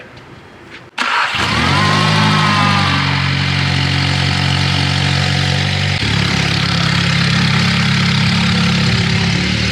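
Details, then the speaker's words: VW Jetta salvage car, first start on a booster box (flat battery) after replacing the damaged transmission and reinstalling engine and axles: brief cranking, then catches cleanly into a steady, even idle with no knocks or misses; normal start. "They got the motor and transmission back in. You guys seen it start right up."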